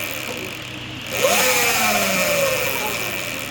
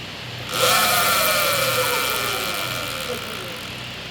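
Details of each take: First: Sur-Ron electric bike stock jackshaft spinning up: rising whine over a rough, hissy whir from noisy bearings that were neglected and not regreased; regreasing with high-performance grease follows. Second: Sur-Ron electric bike with modified regreasable stock jackshaft, just regreased after neglect made bearings noisy: motor whine climbs on throttle and winds down smoothly, no grinding or rattle; bearings now quiet.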